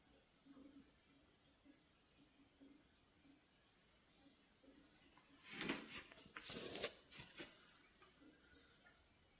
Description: All constant noise and bang sounds come from the pipe inside the wall.